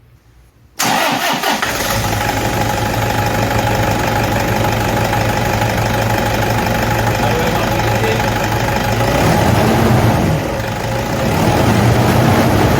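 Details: Toyota D4D diesel fires up and settles into steady idle with a faint constant whine over it, identified as idler pulley noise.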